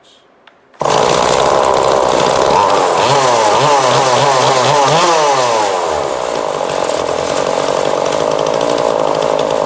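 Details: 2002 Husqvarna 136 chainsaw after carb replacement and tune, warm, wide open throttle: loud high steady two-stroke scream, brief pitch wobble; clean, well-tuned running.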